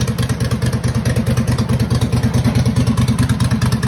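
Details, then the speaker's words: Home-built racing lawnmower small single, started with choke; sharp regular tick with each firing pulse, coming and going, owner suspects valves or lifters; engine ticking. "the engine has developed a uh ticking noise like like I think it's like a valve tick something where the lifters or something"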